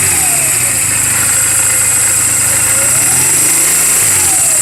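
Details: 2007 Honda Rebel 250 idling in neutral just after an oil change and valve clearance adjustment: an even, steady patter with no ticking or misses under background hiss. The engine is running perfectly, a normal healthy idle.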